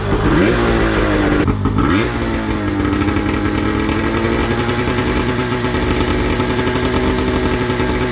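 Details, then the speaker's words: Yamaha YFZ450 chassis with swapped Arctic Cat F1000cc two-stroke EFI engine, first start after swapping the reversed coils back, regulating down high fuel pressure and fitting new plugs. It fires on one pull, revs twice, then idles steadily and evenly. "yes holy [ __ ] she fired up I couldn't believe it she fired right up one pull and it idled right away"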